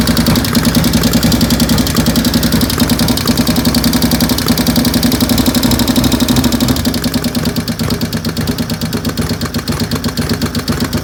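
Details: 95-inch engine with 510 cams at a loping idle. A fast, even top-end tick keeps pace with engine speed; the source of the ticking has not been found.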